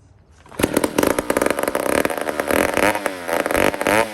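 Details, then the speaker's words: 150 chainsaw made in Toronto, Canada, before carburetor work, carburetor very dry: catches only when primed, revving unevenly and sagging over a few seconds toward dying; fuel starvation, starts then dies. "but this is what it does and if you're quick enough you can fire it then grab this again and prime it right keep it going"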